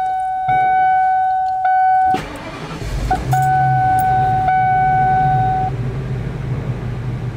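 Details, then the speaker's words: 2004 Itasca RV on Ford E450 6.8L after new spark plugs, ignition coils and air filter: chime beeps, engine cranks, catches quickly and settles into a smooth even idle; sounds much better than before. "it sounds much better than it did before I did all this for about a hundred bucks from the air filter spark plugs and ignition coils"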